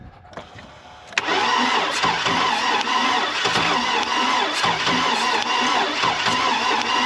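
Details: Oldsmobile Bravada that had sat a while, crank no-start with good spark: fast, even, hollow cranking with no catch; no compression, a blown engine.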